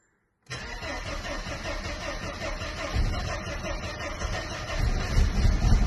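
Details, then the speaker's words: 1993 Mercedes-Benz 124 E220 coupe, 2.2 four-cylinder, right after a new fuel pump was fitted: catches at once, steady idle, then revs up cleanly; owner thinks something had been stopping the fuel flow; normal start and rev. "Ooh. Revving up for the higher there. There was something stopping the flow. Mhm. Well, it starts anyway."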